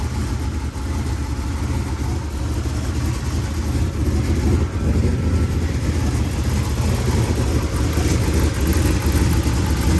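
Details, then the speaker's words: Rebuilt 383 V8 with new valves and lifters, back in the car: steady even idle with normal light sewing-machine patter, previous metal-on-metal tick gone; warmed up, good oil pressure. "sounds good that's got the sewing machine sound which is normal but it doesn't have that metal on metal tick anymore like it did"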